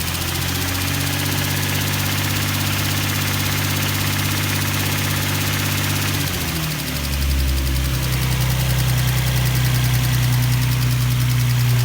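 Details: Nissan 350Z cold start settling into idle, steady ticking over the engine at roughly three per second; engine ticking, source not pinned down, cause suspected but not confirmed.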